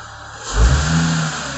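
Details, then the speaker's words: Audi B8 S4 supercharged engine after fitting a 1320mm belt, 10mm longer and skinnier than the kit belt that heated the pulley and knocked: clean quick rev blip that settles smoothly, knocking gone. "this slightly longer belt works just fine [Music] i'm gonna give it some revs"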